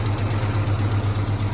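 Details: Mazda B2000 after clutch replacement and #2 connecting rod knock repair, adjusted to spec: steady, even low idle with a smooth regular pulse, no knock or tapping; engine sounds healthy.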